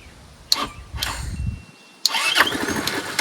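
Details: Curb-found Chinese 150cc Moto Cooper Revo scooter with the ignition bypassed, fuel line just reconnected: two short cranking bursts spin the engine, but it never runs on its own; cranks but won't start, cause suspected, not confirmed.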